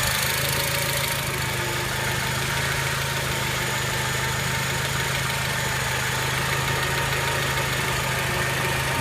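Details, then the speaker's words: Honda Element, warm idle under the hood: light, fairly quick clicking from the top of the engine, not growing when revved; injectors ruled out, owner suspects valvetrain noise, unconfirmed; barely audible inside the car. "Из форсунки мы исключили, это какой-то моторный звук. Если газануть, звук не прогрессирует."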